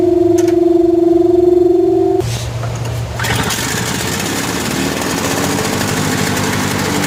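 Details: Lawn-Boy Insight single-stage snow blower after service with a new spark plug, exhaust hooked up: a short whir, then a fast, even buzz with no surging or hunting; running stable.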